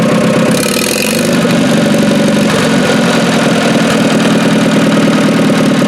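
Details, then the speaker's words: Dozer T4 engine, first start after rebuild and reinstallation, with ignition timing set, head re-torqued and valve gap set, and no coolant yet: a loud, even clatter settles into a steady run with no knocks or misses, so the engine runs properly. "And yeah, that sounds pretty good. Don't want to run it too much though. There's no coolant in it yet, so awesome."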